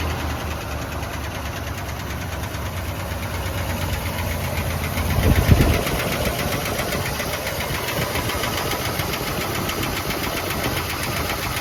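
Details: Boat-tail Buick Riviera V8 just started, with pink valve covers; a light quick tick, possibly valvetrain, about three per second over a steady idle. The owner suspects a loose lifter, unconfirmed, and plans to check the oil.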